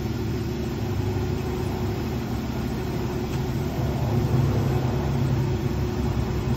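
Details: 2011 Jeep Liberty AC compressor converted to onboard air on a Jeep JK with a 3-gallon tank, idling while filling a tire from 10 psi toward 25: even idle, faint extra hum joins as the compressor kicks in; smooth and healthy.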